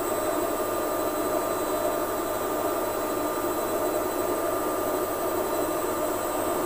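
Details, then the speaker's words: Lux Royal WH 1093i washing machine after inner drum, spider and shaft replacement for cracked spider causing door gasket rubbing: smooth even whir and steady hum, no scraping or rubbing; machine back to normal. "hasil dari pengujian kami menunjukkan bahwa kondisi mesin suaranya sudah normal gesekan-gesekan pada basket sudah tidak ada kondisi mesin sudah normal kembali"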